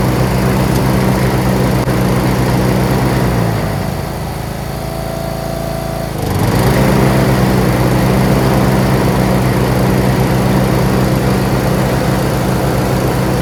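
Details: John Deere RX75 rear-engine riding mower, first start after ignition switch replacement and reassembly, choked, in neutral: even, steady idle with brief speed dip midway, then settles smoothly; normal idle, running well.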